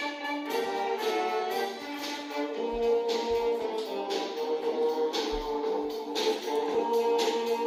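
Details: Acer laptop with newly replaced speakers (old ones were hoarse), volume at 100% maximum: music plays clearly with no rattle or crackle, clean and undistorted; clean speaker playback.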